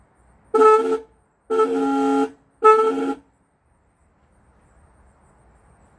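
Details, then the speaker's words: 1965 Ford Thunderbird during rebuild, horn test: three short honks about a second each on one slightly sour pitch; owner thinks a horn needs tuning, both same tone, cause not identified. "That one sounds like it needs to be tuned. Yeah. They're both the same tone. They should be different tones, shouldn't they?"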